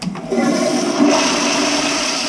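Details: Movie theater toilet flushed after the sewer line was cleared with an electric snake: strong rushing flush that swells and drains away quickly without gurgling or backing up; line flowing freely.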